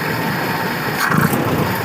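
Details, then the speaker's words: Carburettor sent in by a subscriber, previously workshop-repaired, on test: idle, then a snap throttle blip gives a brief muffled stumble ("ngop") instead of a crisp rev despite the accelerator pump; the idle and slow circuit are judged too rich, probably the non-adjustable slow jet. "Kita gas kejut dengan adanya pempelerasi harusnya bisa ngok. Nah, ini ngop."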